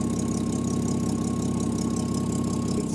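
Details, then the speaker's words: 1984 Jaguar XJ6 Series III at operating temperature after head gasket job, coolant leak fixed: slightly uneven, loping idle under a steady hum; running a little rough, cause not yet known, exhaust leak still present. "basically all that's left is to fix that exhaust leak obviously tidy up the wiring put the hood back of course you know also look into the reason why it's running a little bit rough"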